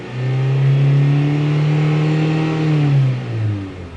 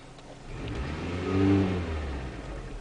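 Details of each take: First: 2001 Mitsubishi Galant with misfire traced to a counterfeit camshaft position sensor: engine revved above 1500 rpm (around 2500–3000) holds a smooth, even drone with no stumble; stumble occurs only on initial throttle tip-in. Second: 2001 Mitsubishi Galant petrol engine blipped off idle: uneven, hesitant rise with a stumble/misfire on tip-in, caused by a counterfeit camshaft position sensor; engine also randomly stalled at idle, cured by a genuine sensor.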